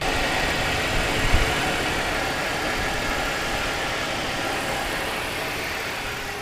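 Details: BMW E46 after replacing the power steering pump, suction and return hoses and reservoir, cold start with the wheel turned lock to lock: steady, even idle, smooth low rumble, no knocks, misses or pump whine; healthy.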